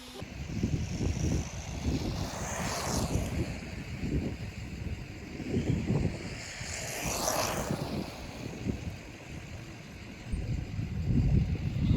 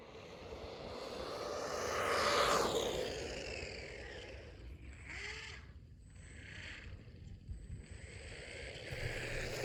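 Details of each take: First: Brushless RC car after new motor installed and pinion gear issue fixed: electric whine rises and falls cleanly as it passes and returns, no grinding or rattle; normal running. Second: Brushless RC car under load: a high electric whine sweeps past, then uneven scraping chatter as the pinion gear on the motor shaft slips because it was not attached well; fixed by making a new pinion and gluing it on.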